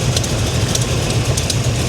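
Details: Chevrolet Monte Carlo SS V8 idling after new Monster transmission install, TV cable disconnected: sharp light tick five or six times a second over a lumpy idle; owner suspects a header exhaust leak.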